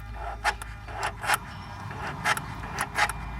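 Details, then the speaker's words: Mercedes S600 with both rebuilt throttle bodies and flush-seated Egas module, ignition on, engine off: short buzzing servo bursts as both throttles actuate; normal electronic throttle actuation, Egas module operational. "as you can see, throttles are activated. On both sides. Okay, so both throttles work."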